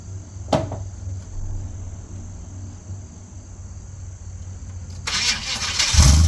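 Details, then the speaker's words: First start after an overdue tune-up replacing worn parts: quiet cranking, then engine catches and settles into a steady low idle with no obvious stumble; normal start and idle. "Start it up for the first time with all the new tuneup stuff in it. And I'm really excited for it because that stuff was really clapped out and I think it's going to run really nice and smooth."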